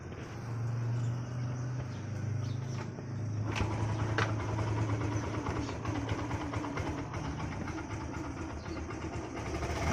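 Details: Yamaha Ray scooter after engine work: starter whirr, then the engine catches and settles into a smooth, even idle with no rattles or misfires; normal idle.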